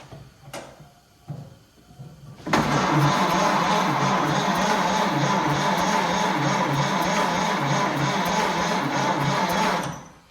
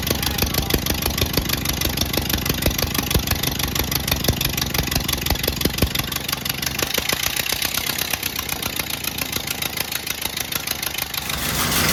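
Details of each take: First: 1928 Ford Model A, 201 cid flathead inline-four, first start attempt after 17-18 years stored indoors, choke pulled, timing being tried in several spots: about seven seconds of even cranking at roughly 2.5 beats per second, never catches; no spark found. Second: 1928 Ford Model A 201 cid flathead inline-four, first run after 17-18 years stored, choke on, timing locked slightly advanced: slow steady chuff at low idle with even firing, no knocks or misses; running healthily.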